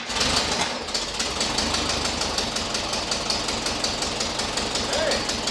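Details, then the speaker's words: 1976 Volkswagen Westfalia Type 2 bus, freshly swapped used engine at first start: fast, even light ticking about five a second over a rough fresh idle. Hydraulic lifters still pumping up. "Oh, it sounds really good. It's got to pump up the lifters, so the clicking that you're hearing is from"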